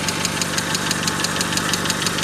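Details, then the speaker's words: Mazda 626 FS engine at idle after reinstalling IAC and throttle body: sharp, steady tick about six a second over the idle; cylinder #3 later showed 50% leakage from a bad exhaust valve, possibly the valve being struck. "I can hear a knock down there but that can do with a f Bel or not fan belt alterator belt no no that's definitely an in enough"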